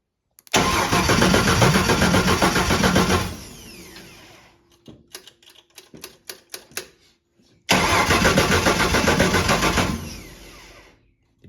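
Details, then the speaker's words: Ford 300 inline-six with junkyard intake and new aftermarket carburetor, first start; needle and seat suspected to have failed, flooding it heavily; long cranking at three to four turns a second with few weak pops, no catch; flooded engine. "flood it monor step back the seat I guess the n on seat didn't work in that thing and uh it flooded something fierce so we're letting her kind of air out right now"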